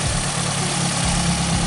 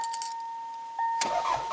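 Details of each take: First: 1994 Toyota Celica GT after a fuel pump replacement: a steady, even low idle rumble with no misses, surging or stumbling. The engine keeps running on its own. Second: 1994 Toyota Celica GT after fuel pump replacement: short crank catches and runs with an uneven rumble, fighting to stay running; owner suspects the fuel pump relay.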